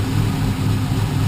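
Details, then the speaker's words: G-body car with LS3 525 V8 swap, exhaust pipes from motor to mufflers still needing rework: deep even rumble with a steady low lope, no misses or ticking; normal idle. "Hooking up. Very, very smooth."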